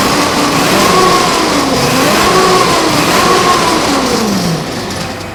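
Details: 1979 Ski-Doo Everest 444 liquid-cooled twin two-stroke snowmobile, first start in 3 years on fresh gas: revs up and settles, pitch rising and falling smoothly without misses or stumbles; normal healthy running.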